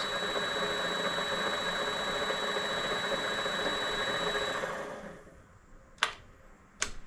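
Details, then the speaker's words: Vevor MX400 mini lathe running without the spindle connected, on a redesigned idler pulley bearing setup with two needle bearings: even motor hum with a thin steady whine, no knocking, then a clean spin-down; running smooth. "let's turn this on and listen to it without the spindle being connected it's running smooth"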